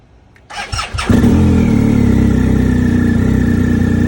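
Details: 2020 BMW R 1250 GS Adventure hard cold start at about 21°F outside, 35-37°F in garage, battery 12.2 V: slow laboured cranking before catching and settling to idle; stock battery confirmed good, issue persists despite a dealer software update.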